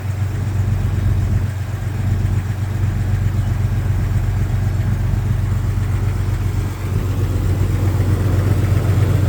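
A cold six-cylinder idles with a dull, hollow knock under the low hum: piston slap before warm-up.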